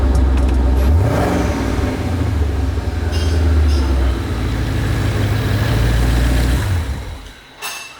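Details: Twin-turbo Ford Mustang Boss 302 V8 after fuel system fix for lean backfiring under boost, fuel pressure 55-65: deep smooth rumble rising cleanly on a throttle blip, easing down and shutting off, no stumble; normal running.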